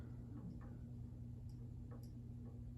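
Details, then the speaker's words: Emerson Casablanca Classic ceiling fan from around 1981, restored; soft hum with a light, uneven tick about twice a second. Owner suspects the flywheel was not put on properly, unconfirmed: ticking noise. "and you can hear the flywheel and stuff making some noise and again that's because i don't think i put it on properly"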